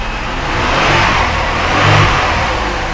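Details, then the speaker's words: 1999 Chevrolet Malibu after reconditioning collapsed lifters (bottom end untouched): runs smooth and even with gentle rises in speed and no lifter ticking; lifter noise gone, valvetrain quiet and healthy. "Wow, what a difference."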